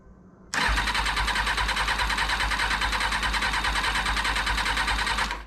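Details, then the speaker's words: 2000 Kawasaki ZX6R during rebuild, fuel work just done, strong battery: starter spins briskly and evenly for about five seconds but never fires; cranks but won't start; owner wonders what is disconnected, tip-over sensor checked, cause unconfirmed. "battery okay um well we had problems with that before couldn't get it to work what could be disconnected that could prevent it from starting"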